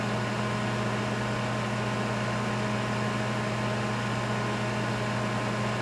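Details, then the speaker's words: 1988 Sharp Carousel II microwave running with its shell off and tape guiding fan air through the magnetron, drawing about 10 A (1.2 kW as rated). Smooth, steady transformer hum and fan rush with no crackle or buzz; working properly. "So that looks like it's working properly."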